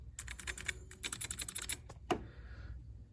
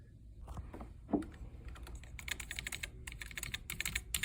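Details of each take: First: Commodore SX-64 keyboard with replaced membrane: rapid key taps with a thin squeak on each press, then a sharp snap; membrane edge hangs into the hole and rubs the key post. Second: Commodore SX-64 keyboard with new membrane, after trimming membrane edge rubbing against the posts to cure scratchy keys: clean, crisp key clicks in quick typing bursts with no scratching or dragging; works normally.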